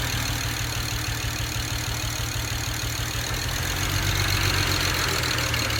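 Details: 2008 BMW 135i with N54 engine: lumpy uneven idle stumbling every few firings; cylinder 6 misfire from a bad injector, running on five cylinders and nearly undrivable.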